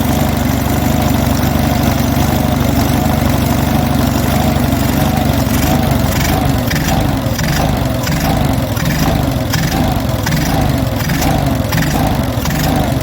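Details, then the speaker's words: Stone-cold Onan US military generator engine, automatic choke likely still on, with the governor recently removed and reinstalled. Idle surges and sags about once a second, hunting; the owner suspects the governor is set too slow. "Starting to hunt a little. Why is she doing that? see if I can adjust that governor."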